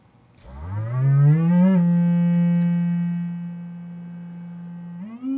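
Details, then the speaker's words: Vintage 12-inch guitar speaker on bench: clean sine sweep gliding up and holding a steady low note with no buzz, rattle or flutter; healthy speaker. "anyway this guy seems pretty good if it's gonna have problems they show up in those lower frequencies"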